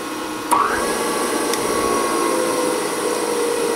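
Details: Klopp model 425 metal shaper's three-phase motor, after rewiring, switches on with a click and spins up to a steady mid-pitched hum and clear whine on high speed; runs normally.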